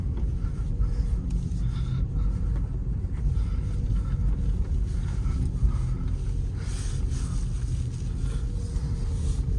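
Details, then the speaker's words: Peugeot 308 (EP6) driven on a concrete road after swapping year-old polyurethane stabilizer links for regular Monroe ones at all four corners: only low, even road rumble, no knocks or clunks. Suspension now quiet. "Так, всё, выехали на бетонку. Блин, реально стало тише."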